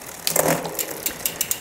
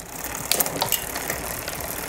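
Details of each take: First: Shimano XT 8000 rear derailleur while shifting onto the biggest rear cog: freewheel ticking with a short rough burp as the chain climbs, from the upper pulley rubbing. The B-screw needs adjusting. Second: Shimano XT 8000 rear derailleur after B-screw adjustment, upshifting from second-to-last to last (tallest) cassette gear: brief shift clatter then soft steady freewheel whir, chain jumps up cleanly with no rubbing; normal quiet shifting.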